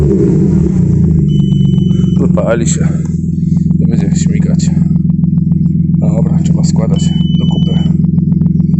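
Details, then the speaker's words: Audi A6 C6 2.4 V6, first start after repair with oil pan reassembled: even, steady low idle with no stumble, knock or surge after it first ran rough on low battery voltage; drops off revs well, smokes slightly, check light still on; normal idle. "Ładnie z obrotów schodzi, nie dymni."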